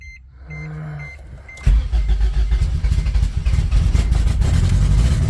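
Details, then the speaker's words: Acura Integra (DA9) turbo project starting after re-uploading a data-logged tune, no wideband fitted, three error codes incl. fuel injector: chime, starter, then a fast busy idle that never settles, sounding like a Subaru; high idle, owner suspects sensors. "Why is it idling so high, man? Uh sensors. I'm going to turn it off because that shit's idling way too high. So, it sounds like a Subaru right now."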